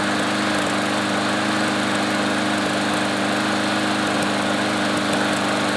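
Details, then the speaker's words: Troy-Bilt mower after carburetor cleaning, fuel stabilizer added and self-propel cable lubed: holds a steady, even buzz at constant speed with no surging or misses; runs well. "and now the mower runs pretty damn good and the self-propelled works now too"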